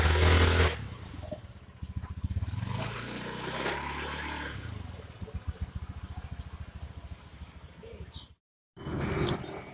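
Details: Honda Beat scooter at take-off after replacing broken CVT rollers that had made it judder and jump when pulling away: an even, steady putter of about four pulses a second with no judder, so the CVT drive sounds smooth again.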